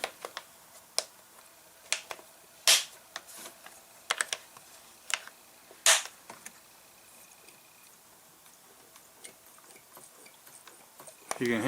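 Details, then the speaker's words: Echo C-310 chainsaw after purge bulb replacement, with a splash of fuel added: irregular soft clicks and light snaps as the bulb is pressed repeatedly and draws fuel; normal purge bulb operation. "I put some fuel in it there it sucked the fuel in it's actually not a primer bulb it's a purge bu a purge bulb"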